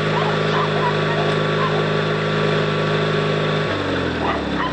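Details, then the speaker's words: New Noma 18 HP riding tractor twin with safety switches unplugged, started by bumping the solenoid with pliers on a charged battery; steady even hum with clean rhythm shifting pitch with throttle, dogs barking, runs fine. "oh yep she's a runner all right"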